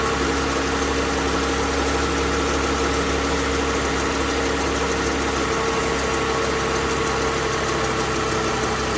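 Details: Toyota Alphard 20 series, first start after replacing the alternator damaged by an earlier oil leak from a head gasket job: a steady, even idle with a constant low hum and no knocks, squeals or rattles; engine runs healthy.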